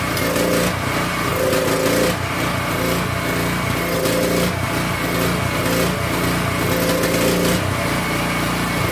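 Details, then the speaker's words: King Canada 3000 W generator, no air filter fitted, loaded with a heat gun: small engine speed rises and sags every two to three seconds; governor hunting, which the owner suspects comes from the missing air filter. "Hopefully, she doesn't hunt as much. She probably will, cuz we don't have an air filter."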